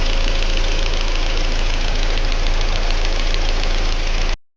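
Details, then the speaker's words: Previously overhauled Chinese-made petrol engine idling with a light, quick ticking from the exhaust camshaft side. Inspection found excessive axial end play on the exhaust camshaft while the intake camshaft had none; the exhaust sprocket and tappets were disassembled. "台发动机呢，主要是维修发动机非常轻微的一个哒哒哒的异响声音。经过我们检查，这个异响主要来源还是来源于这个排气凸轮轴一侧。"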